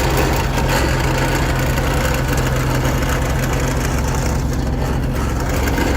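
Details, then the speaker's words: 1980s John Deere 317 garden tractor with tiller, after battery went dead: low, uneven chugging idle with irregular beat; sounds like it runs on one cylinder, possible misfire. "running on one cylinder sounds like it's running on one cylinder"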